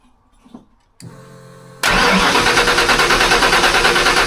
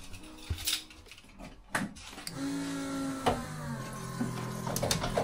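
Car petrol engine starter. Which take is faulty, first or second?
second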